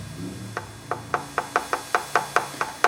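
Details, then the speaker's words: Pioneer SX-780 receiver phono stage fault: sharp intermittent crackle pops about every quarter second through the speaker while a capacitor is tapped; owner suspects those caps and thermal expansion (one channel dropping, the other turning harsh) and plans to replace them. "I was tapping on this this cap here. Okay, I'm going to I'm going to replace uh I'm going to replace these caps here in this area and then come on back [snorts] and try her again."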